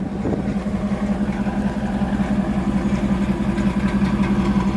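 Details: 30-year-old Camaro V8 fired up after a battery jump: even, rhythmic idle pulsing about three beats a second with a steady low drone, no misses; sounds good, runs smooth and healthy.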